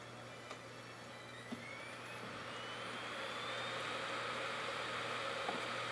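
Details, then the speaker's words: LG DVD drive in an old USB 2 enclosure, newer than the Sony IDE drive: steady low motor hum, faint rising spin-up whine, occasional soft ticks, repeatedly spinning and seeking without settling; slow disc read, though it works. "You see how slow the newer drive is? The old drive just read the disc. It didn't mess around. It just read the damn disc."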